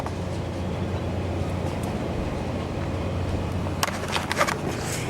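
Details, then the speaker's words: Older fully electromechanical elevator (no CPU, 200 ft/min, spring buffers), car sitting at floor four: steady low motor hum with relay clicks and clunks as the car pulls away downward: normal elevator start. "this one's sitting on four and it sounds like they're getting ready to go down there it"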